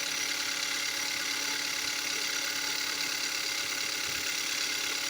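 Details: 2015 Kia Soul at idle: fast light ticking of about three per second, seeming from the left or back of the engine and speeding up with revs; dealer called it normal, later found to be piston slap scoring the cylinder walls.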